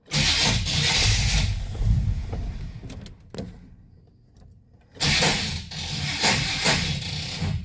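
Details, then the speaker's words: 1991 Chevy 1500 on start-up: ragged, uneven bursts of harsh rattling as it cranks and catches, fading and returning, gauge shows constant oil pressure; owner suspects wiring or switch; cause unclear; abnormal noise on start-up. "What is that noise? That is terrible."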